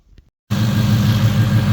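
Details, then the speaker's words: Ford Coyote V8 after reassembling cam phasers to fix timing chain chirp and rattle, warmed up at 189° coolant and 29 psi oil: a calm, even 750 rpm idle with no chirp or chain rattle. "well we must have made some change in the right direction Motors pretty much making normal noises we're at a pretty calm 750 idle"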